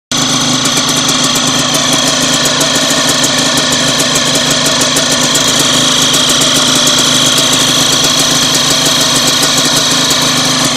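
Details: DTR 125 single, warm after washing: fast, even chirping ticks over a steady idle, present before the wash; owner dried the relay and plug cap for post-wash high-rpm stumbling; chirping engine noise, cause unclear.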